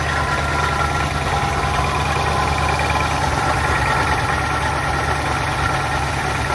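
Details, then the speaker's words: 1963 Studebaker Lark Wagonaire parked 39 years, first start-up, idling: rough uneven churning noise from the front of the engine; owners suspect the water pump, unconfirmed. "all right is that noise Richard coming from uh up around the might be the water pump water pump we'll find out in a minute might be the water pump"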